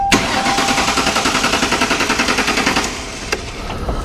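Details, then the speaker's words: 1957 Ford Ranch Wagon during chassis/body swap: steady rhythmic cranking at about three and a half pulses a second that never catches; cranks but will not start, owner suspects a missing ground connection. "Come on now. There's a ground somewhere that ain't letting it do its thing."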